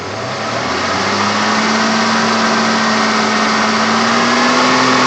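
Light regular ticking, about four a second, rides over the engine as it picks up speed; valvetrain tick suspected, not confirmed.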